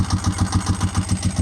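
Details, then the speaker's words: 748 motorcycle warmed up at 140°, radiator hoses hot, idling on its own with no leaks: steady, even low thumping at a slow regular beat with no stumble; healthy idle. "All right, so we got the temperature. Looks like we're cruising at 140 right now. So, that's pretty good."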